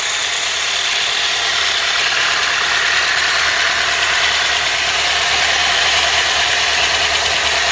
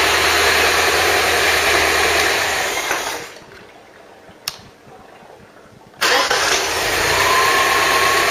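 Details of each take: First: Ford Cortina Mk3 with newly rebuilt 2.0 Pinto engine, auto choke working, warmed up with temperature holding mid-gauge: steady even idle with smooth hiss, no knocks or misses; normal warm idle. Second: Ford Cortina Mk3 newly rebuilt 2.0 Pinto engine, Weber carb, first run with valve clearances on a first setting: light regular ticking over idle; tappets are tapping a bit, clearances will probably be redone.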